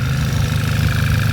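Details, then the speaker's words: Auction car with about 130,000 km, warmed up, idle coming down and evening out: a smooth, steady low pulse with no knocks or ticks, sounding healthy. There is sealer on the rocker cover but no oil leaks. "yeah it's even right out yeah the idle's coming down now that was warm sounds really healthy"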